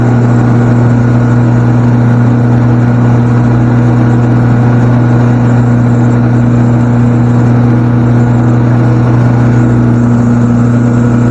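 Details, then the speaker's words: Portable generator converted from natural gas to gasoline, running off a 5-gallon can with the surround doors closed while it sits on a pallet: steady, even engine drone with a firm low hum, no misses or knocks, running smoothly. "It probably won't be as quiet as what you think because it's sitting on a pallet and there'll be a lot of noise coming out underneath of it, but it's got to quiet it down a little bit anyhow."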